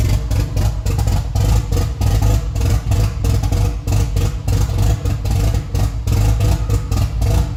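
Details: Freshly rebuilt Nissan 180SX SR engine, first start after 10 months, no exhaust and no intercooler piping: loud open-pipe idle that lopes, rising and falling unevenly instead of settling; hunting lumpy idle.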